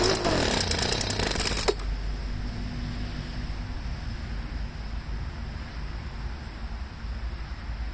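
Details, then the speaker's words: Poulan handheld blower two-stroke after fuel line replacement, warming at half throttle; a burst of revving fades into uneven sputtering; owner suspects air in fuel lines or carburetor trouble. "it takes a little while for all the air to get out of the fuel lines and I read that and like I said before sometimes it's something wrong with the carburetor"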